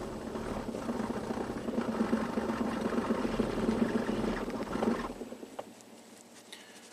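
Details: 2008 Infiniti G37S that fires, runs a few seconds, then stumbles and dies as if out of fuel, with no codes set and a new fuel pump that changed nothing: uneven, stumbling run then stall.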